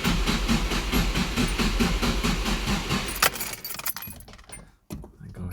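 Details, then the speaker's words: Nissan S13 SR20DET stored a month and a half, low battery, cranked with fuel off on a 20 amp jump starter to build oil pressure: even cranking pulses, then uneven catches as if firing; owner suspects a leaky injector. "she wants to go she wants to go on fumes actually if it's going maybe that's a leaky injector"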